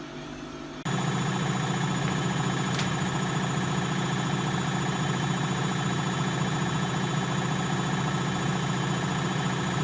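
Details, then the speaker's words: Bosch WFL246SGB/01 washing machine on an Easy Care 40° test wash, drum settling into spin after balancing: steady, even hum with no grinding or rumbling; bearings sound healthy. "It's balancing itself out there and moving about a bit, and it should get up to a good spin soon."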